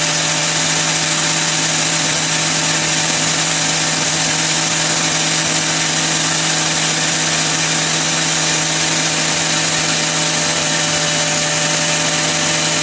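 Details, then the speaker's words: Grinder run as a load through a new inverter powered by a repaired wind turbine and batteries in freezing cold: a steady high-pitched electric whine at one even speed, no surging or bogging; it runs smoothly. "yeah it's pretty quiet doing the rattle of the chain that's about it"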